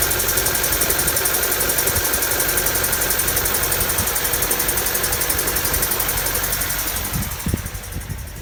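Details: Honda D16Y7/Y8 "MiniMe" engine at rough idle with light steady tapping about three per second, like a bottom-end knock; owner suspects a spun bearing from too much nitrous, unconfirmed.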